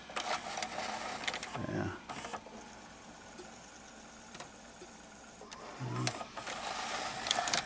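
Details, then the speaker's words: JVC HR-S5400U Super VHS VCR that won't load a tape; loading motor whirs with irregular clicks and clunks as it partially loads then shuts down; first suspected a dirty mode control switch, actual cause a spring detached from a broken lever tab. "to partially load the tape but then it shut down so it's really looking like a mode control switch it's dirty"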